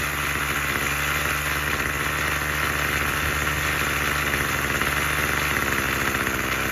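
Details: Craftsman 27cc curved-shaft string trimmer 316.711170 after repair with new recoil assembly, fuel filter and fuel line, on fresh fuel: steady even two-stroke buzz at constant speed, no misses or surging; fully functioning.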